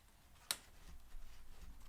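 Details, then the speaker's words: Cane Creek Kitsuma coil rear mountain-bike shock: a single sharp clunk at full top-out that persists despite rebound and compression adjustments, the same on a second shock. The owner suspects air in the damper or a design flaw. "ame thing it does this clunk at the top of the travel site that clunk that topping out clunk not sure if you can hear that but super annoying"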